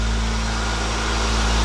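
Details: 1996 Acura Integra GS-R with a rebuilt, turbocharged engine on its first run, warming up while the coolant bleeds. A brief loose- or tight-belt noise goes away, then a steady, smooth low idle hum with no squeal or chirp.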